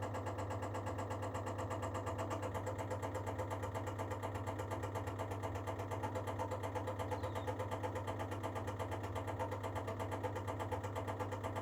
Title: baxi duo tech making knocking sound while preparing the heating process